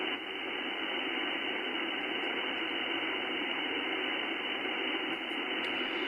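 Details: HF receiver with all station earthing removed: a constant even hiss with no signal or break, S5 to S7 as the antenna rotates through all directions with no real change; high noise floor, source not identified.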